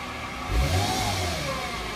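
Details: 2008 Mercedes-Benz C300 V6, stock exhaust, cold start and revving: a thin whine rises and falls with revs from a failing alternator; a replacement alternator cured the noise.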